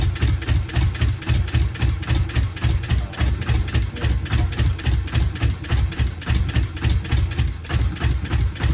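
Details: Subaru GC8 with EJ207 STi shortblock, first start after injector install: rough, lumpy idle thumping unevenly about three to four times a second; one bank never fires (plugs pulled show it), engine running on one bank only.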